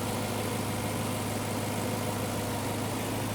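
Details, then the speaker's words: 2011 BMW E92 M3 with a rebuilt S65 V8 after 1,000 km of running-in: smooth, even idle with a soft steady burble and no ticks, knocks or misses; the engine sounds healthy. "We got it a bit dirty, but the engine sounds wonderful. Smooth as silk. Very clean. Very good."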